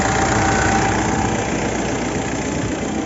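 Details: Mitsubishi Montero diesel misfiring with no check engine light or fault code, fuel rail pressure reaching 50,000 kPa at idle: lumpy idle with occasional stumbles, a cylinder misfiring; cause not pinned down.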